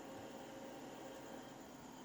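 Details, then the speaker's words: Off-grid pure sine wave inverter powered on after repair at 25 V input: soft, even cooling fan whir with faint steady high tone, no buzzing, crackling or alarm; running normally, green light, no error. "นี่เปิดเครื่องแล้วนะครับมีเสียงพัดลมทำงานนิดๆ"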